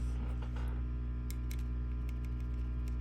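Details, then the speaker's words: 5150 II tube guitar amp, volume full up, no Faraday cage, after replacing microphonic 470K resistor R82 on preamp tube board and a preamp tube: steady low hum, light taps give only faint clicks; microphonic noise gone. "And the issue is gone. Now there's just barely perceptible change there. And I found I got a little less noise by changing this preamp tube as well."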